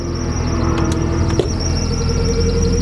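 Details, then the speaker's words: Drift car on rear jack, wheels turning: steady high squeal over low driveline rumble from driveshaft area just ahead of the diff, heard as chirping when driving slowly; suspected pinion bearing, not confirmed. "Like way down under here. Probably just the pinion bearing."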